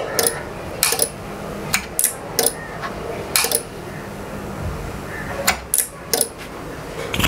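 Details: Voltage stabilizer under home repair for an output fault (one meter on, no output). After reassembly it is plugged in, giving sharp metallic clicks in uneven bursts on a quiet background. Normal relay pull-in at switch-on; output expected after a 3-minute delay.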